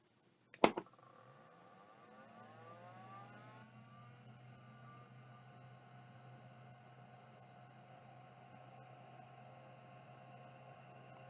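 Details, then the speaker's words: Rodime hard drive with access LED: a thump, then a whine climbing smoothly as the platters spin up and settling into a quiet even hum; bearings sound excellent and the heads were parked. Healthy spin-up. "sounds like it works to me and it sounds like it was parked as well beautiful bearings are amazing in this drive as well"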